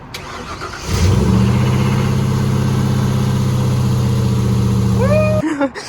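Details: Van after fitting a new starter and solenoid: brief starter whir, then fires at once and holds a smooth, even idle until switched off; starting system healthy.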